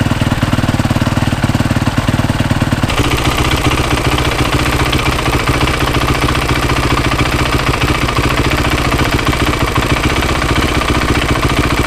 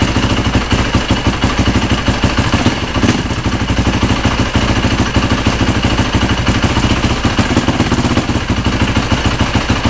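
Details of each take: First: Freshly rebuilt Yamaha YZ450 single, kick-started after sitting two to three weeks: normal low cam rocking noise with a sharp high-pitched rapid tick on top of the idle; a worn, stretched timing chain, later replaced. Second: Freshly rebuilt Yamaha YZ450 four-stroke single, test-started with tank off after replacing the stretched timing chain, oil smoking on the exhaust header: fast, even idle without the earlier loud ticking; noticeably quieter and healthy.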